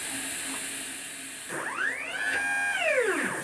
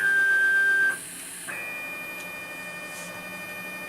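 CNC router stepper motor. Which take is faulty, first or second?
first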